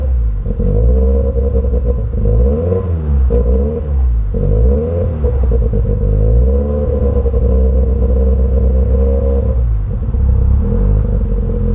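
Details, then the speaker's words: 1991 Toyota Celica GT, stood unused 4 years, started after new battery, tyre air and fresh petrol: deep uneven idle surging and sagging every second or two, never settling, rough and misfiring; owner plans a full service, cause unconfirmed. "It's running, but it's running badly. So I think we definitely have to give it a good service."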